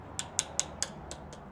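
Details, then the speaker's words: Coin tap test on crashed carbon gravel-bike handlebar: first four taps ring bright and clear on good carbon, last three go dull and dead over a severe, fully visible crack. "you can hear obviously this is a severe crack it's very obvious that it is cracked but you can hear the tone change of the good pieces of carbon and then when you get to the crack it's going to go very dead sounding"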